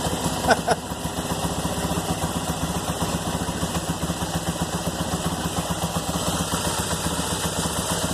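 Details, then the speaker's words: 2001 Yamaha TT-R250 after a carburetor rebuild with new diaphragm, O-rings, spring and air boot. Fires right up with steady, even single-cylinder thumping at a slightly high idle; the throttle still needs adjusting. No misses and no leaks. Normal idle. "She fired right up. Idle might be a little bit high. I've got to adjust the throttle still. There it goes. No leaks."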